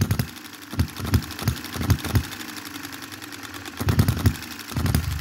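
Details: 2022 Enjomor Chinese hit-and-miss engine after valve timing correction and a spring added to the governor latch: clusters of sharp pops, then coasting gaps of about a second; an even, healthy cycle.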